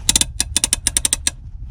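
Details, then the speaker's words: 2001 Honda Odyssey automatic, foot-operated parking brake pedal pressed down: a quick burst of about a dozen crisp metallic clicks, then it holds, a normal ratchet latching. "and i don't know if you can see that clearly it's kind of dark but this is your hand right but down by your foot and if you listen to it it works exactly the same as the handbrake"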